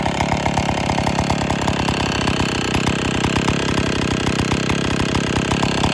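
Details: IEL Pioneer HM chainsaw, old two-stroke, after complete teardown (leaking base gasket, starter dogs fixed), running before bar and chain fitted: fast, even crackle holds steady speed without misses or dropouts; now runs great.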